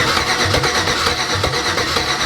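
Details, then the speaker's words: 1987 Chevy S10 with LS swap, first start attempt: steady starter churning with compression beat roughly every half second, engine never catches; cranks but won't start, suspected missing spark. "Feels like we're missing spark. Can we do it one more time?"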